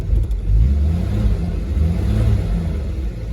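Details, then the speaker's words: Engine at operating temperature, thermostat keeps opening so it gets no warmer: deep steady note holding even through light revving, no knocks or misses, not acting hot; normal running at operating temperature. "this is where the thermostat keeps opening so it doesn't get any warmer runs good"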